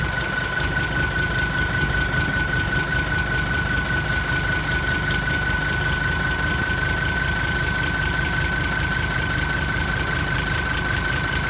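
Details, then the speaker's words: Steady diesel idle right after fitting a new turbo (same brand as before) to replace one with a broken impeller; thin, constant whistle above the clatter, even and healthy, no grinding or rubbing. Normal turbo whistle at idle. "เทอร์โบดังแล้วครับหวานเจี๊ยบเสียงก็ไม่เปลี่ยนครับเหมือนเดิม"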